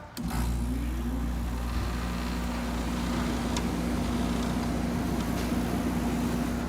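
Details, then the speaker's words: 1986 Friedrich Quietmaster 19,000 BTU air conditioner starting on medium cool: smooth even low hum with steady fan rush, pushing cold air before head pressure builds; coils slightly banged up, exhaust fan broken. "it goes she's on medium cool right now i can already feel it from here she's pushing cold air"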